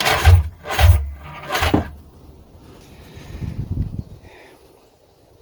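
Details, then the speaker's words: Old two-stroke jet ski that sat for years, cranking with spark plugs reinstalled; compression sounded good. Three slow, heavy turns about half a second apart, then the starter dies off; slow cranking, battery suspected. "may just be the battery but um it's kind of struggling there to turn over with the oh with these spark plugs in it"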